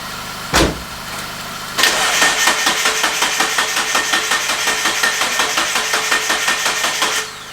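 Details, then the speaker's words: 1999 Miata with a Chikara built 1928cc 11.0:1 engine, parked six years, cranked on jumper cables with the fuel injector fuse pulled to build oil pressure: steady starter churn with no firing. It later ran with a misfire, owner suspects a coil pack. "I've pulled the fuel injector fuse, and I'm going to crank it over with no chance of it firing, just to get good oil pressure and such."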